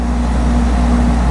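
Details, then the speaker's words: Goodman GPH heat pump package unit after evaporator coil replacement and recharge, reversing valve switched to cooling: steady even low compressor hum, no rattles, knocks or squeals; running normally. "and uh we'll test it out for a few minutes in cooling to make sure everything's squared away and then we are pretty much done"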